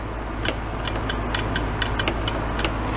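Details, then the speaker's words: John Deere X360 mower that sat unused for 10 years: sharp irregular solenoid clicks over a steady engine hum. Turning the key off doesn't cut power to the coil, so it keeps running until fuel runs out; the key switch is possibly at fault. "what's happening is i'm turning the key off and then it the solenoid is blocking and it's running out of fuel and shutting off it's not shutting off the power to the coil which is definitely not supposed to do that"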